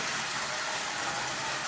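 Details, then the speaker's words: 85-year-old prewar Marx 999 tin-litho toy locomotive after basic lubrication only, steady even high-pitched whir of motor and gearing with no stutter; running perfectly forward and reverse, normal running. "it's running perfectly forward and reverse 85 years old and it was 10 dollars"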